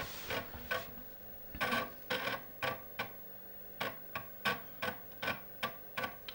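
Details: Commodore Amiga 500 (Kickstart version 33.56) floppy drive loading Workbench 1.2, where one disk retry was needed: irregular dry clicks in short bursts, about two to three a second, as the head steps. This is normal seeking.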